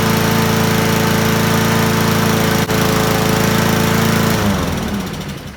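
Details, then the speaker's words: Troy-Bilt mower with Honda engine, spark and fuel but no start, traced to a valve stuck open from a smashed valve cover; after repair and restart the single-cylinder runs at a fast, steady, even beat and winds down cleanly at shutoff. "well I guess that was the problem valve stuck open because of a smashed valve cover"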